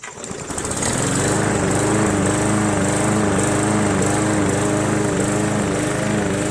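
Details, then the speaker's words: Free roadside MTD Yard Machines 20" push mower, Briggs 300E single-cylinder, after carb clean, throttle spring adjustment and draining water from gas tank and carb bowl; spins up to steady even drone with faint wavering, runs well under cutting load. "had a little water in the gas tank and we cleared that blew it out and it runs pretty good anyway"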